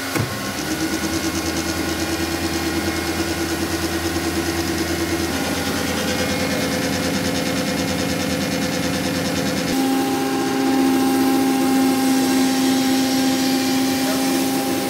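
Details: Larger hydraulic gear pump on a test bench, steady loud hum with whining tones and a pitch step near ten seconds; normal operation, no weird noise the customer reported.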